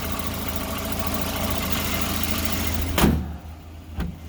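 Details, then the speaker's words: 1991 Volvo 240 petrol engine idling evenly with a steady low hum, then a sharp thud and quieter background; runs fine once started despite a cold-start problem, owner suspects the coolant temp sensor. "and when it runs you can listen to it it runs good it's a Volvo so I'm not surprised runs pretty good"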